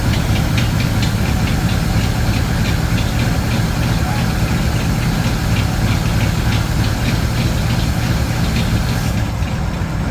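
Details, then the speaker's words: 1936 Ford 1 1/2 ton truck, 8BA flathead V8, run after sitting in a barn for years with suspected stuck valves: deep, steady beat with even firing, no misses; runs well but carburetor leaking over. "wow Run's good and that carburetor is leaking over"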